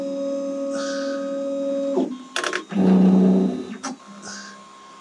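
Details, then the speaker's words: Makerbot Replicator, a couple of years old, with intermittent carriage fault, during test print: harsh buzzy stepper tones changing pitch as carriage moves; loud noise from old non-microstepping drivers, not Trinamics. "so yeah obviously has some really older drivers you can hear how noise it is definitely aren't trinamics"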